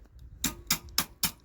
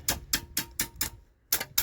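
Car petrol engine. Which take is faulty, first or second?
second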